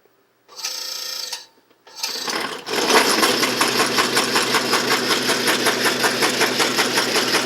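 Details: Can crusher test run after fitting new stainless steel axles and pillow block bearings freshly packed with white lithium grease with Teflon. From start-up, steady unlaboured clatter at about 2.7 strokes a second: normal operation.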